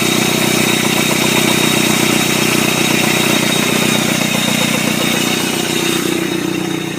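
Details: 1999 Chevy S10 2.2 four-cylinder, 5-speed, rebuilt engine that always stuttered, at idle: steady regular knock about four beats a second over the exhaust; suspected rod knock, not confirmed.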